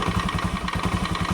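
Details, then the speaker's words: Scooter CVT at idle before repair: fast, even rattling knock about nine per second from the belt-drive case, caused by a worn roller housing bushing and badly worn, misshapen rollers. "Ini motor bat kalau kita hidupkan itu punyai menggeletek di daerah CVT ya. Coba kita hidupkan ya. Ketika dalam kondisi stasioner begini ada bunyi gelitik di dalam CV ini."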